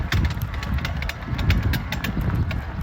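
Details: Specialized Levo e-bike drive unit, clunking, clanking and creaking when pedaling and when spinning, almost as bad with power off: irregular clunks and creaks with each crank stroke over low drivetrain rumble; drive unit failure, cause not found.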